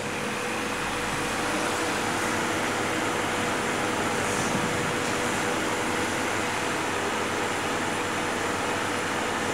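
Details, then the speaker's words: Homemade refrigerant recovery unit, pre-evacuated to avoid contaminating the gas, near the end of recovery with pressures almost at zero: steady, even compressor drone with a hissing airflow note and no knocks or surging. Running normally. "Les mostré el equipo funcionando, haciéndole vacío primero a la recuperadora para poder volver a meter ese gas en el circuito, para que no esté contaminado con algún otro gas que teníamos."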